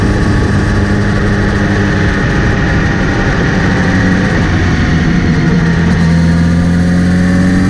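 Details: Kawasaki Z900RS: after cleaning and relubing the chain, a steady whir rising in pitch with revs over the engine when accelerating or in gear, seemingly from the front sprocket area; chain clean, tension OK, cause unknown.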